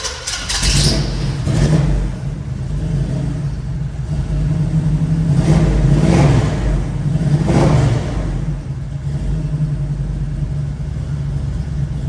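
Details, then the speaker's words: 1972 Chevrolet Nova, 383 stroker small-block V8, tuned 4bbl carb, dual exhaust, TH350 automatic, just started and still cold: deep lumpy idle with quick throttle blips rising and falling cleanly; healthy engine. "It's really healthy. It's still a little bit cold, so you gotta let it warm up."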